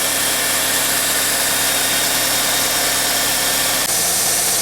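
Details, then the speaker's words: 2004 Honda Civic LX 1.7L after alternator replacement with belt tension corrected: an even, smooth, quiet idle hum, and the earlier growling from below is gone. Normal idle. "oh yeah he's a quiet one now do more of that growling coming from down there"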